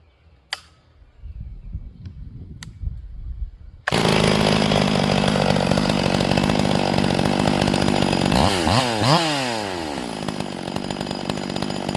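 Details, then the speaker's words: Warm chainsaw at wide-open throttle, 3-5 second bursts while turning the high-speed jet: rough burbling four-stroking swings in pitch as the mixture is leaned until it screams, marking too-lean before richening back. "And what I like to do is have it wide open, and then I'm going to lean it out until it stops four-stroking. I want it to scream."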